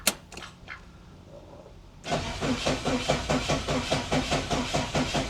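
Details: 1988 Saab 900 Turbo that had not started in months, spark confirmed and fuel not yet checked: starter churns at a couple of turns per second but the engine never fires. Crank, no start; later traced to the Hall sensor plus a small fix.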